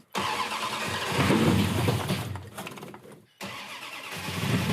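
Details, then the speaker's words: 1966 Dodge Coronet V8, off the road 45 years, first start after adding gauges and checking fluids: cranks, catches and settles into a lumpy but steady idle; starts and runs. "It's gonna fire right up. Hit the ignition, press the button, and let her rip."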